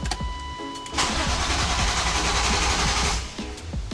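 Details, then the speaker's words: 1999 BMW E36 M3 S52 first crank after full head rebuild, new VANOS gasket, new oil and filter and upgraded battery, no coolant yet; brief cranking catches within a second into a strong, even run; normal engine start. "Uh, and this thing starts right up. I am terrified. Let it prime. Fuel cell needs to kick in. That sounded healthy though."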